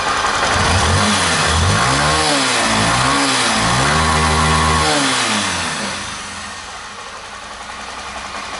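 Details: Honda Titan 160 Start single after both roller rocker arms replaced for a destroyed intake rocker bearing, valves not yet adjusted; revs up and down cleanly several times, smooth note, no head tapping. Normal running after repair.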